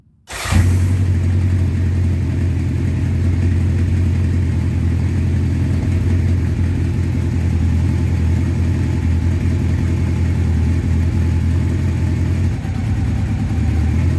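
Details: 1984 Honda CB700SC Nighthawk after carb clean, sooted plugs, running warm with Marvel Mystery Oil in the fuel to burn off soot; steady, even low thrum at idle with no misses or stumbles; normal idle.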